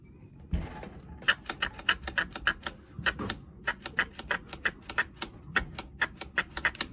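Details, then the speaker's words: Vintage Homelite XL-12 chainsaw manual oiler, which was not working, after plunger O-ring replacement. Crisp, even clicks about three a second with each plunger push: oiler pumping normally again. "it's working so that's all there is to it so that's all there is to usually so that's usually all there is to fixing the manual oiler on these just a simple o-ring replacement"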